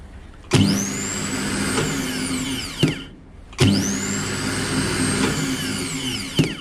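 Two runs: each snaps on, winds up to a steady high whine, then cuts and spins down smoothly, a healthy free-spinning starter.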